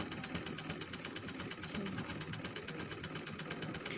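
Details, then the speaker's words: Sewing machine after oiling all holes and wiping excess oil: light, even ticking about ten stitches a second with no drag, heaviness gone and noise much reduced, running freely. "ये देखिए इसकी आवाज़ जो है बहुत लाइट हो चुकी है।"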